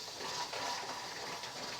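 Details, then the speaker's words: Presto pressure canner on a glass cooktop at 14-15 psi: steady soft hiss with the pressure regulator gently rocking on the lid; normal venting at pressure, neither frantic nor silent. "you just bring it up to whatever your poundage is your psi and let adjust it so that that little regulator is gently hissing and kind of rocking you don't want it going crazy and you don't want it silent"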